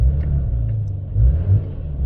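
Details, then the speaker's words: Porsche 996 Turbo after replacing the in-tank fuel pump and swirl pot, running about five minutes: idles just under 1000 rpm, smooth low rumble swells on two quick revs to about 3000 and drops straight back without stumble; normal rev response. "ticking over beautifully just under a thousand revs as it should and if we give it a quick Rev"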